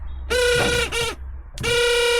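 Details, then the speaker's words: Car windscreen wiper motor bench-run after removal, grounded temporarily, shaft greased: loud rough buzzing hum in two bursts with a brief stop, strong vibration; the horrible noise that began in heavy rain persists. "And as you can hear, we're still annoying. So, I'm feeling around here, we've got quite a lot of vibration."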